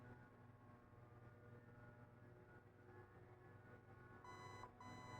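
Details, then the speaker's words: Zius BK1S/BK2S blaster with T238 electronic trigger, jammed, reset by holding the trigger: after a quiet hold, two short high beeps close together signal release. "okay that's the second two beeps now you can let go of the trigger right"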